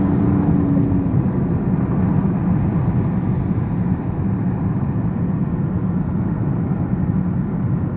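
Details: BMW 530d E39 diesel: steady drone with faint high whistle throughout; turbo whine, fault or normal unclear.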